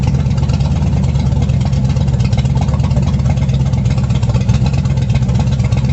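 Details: 350 V8 in a 1937 Dodge Brothers, first start after correcting firing order: steady, slightly slow idle with firm even burble, no misses or backfires; idle set a little low, timing unverified, carburetor unadjusted, sounds good.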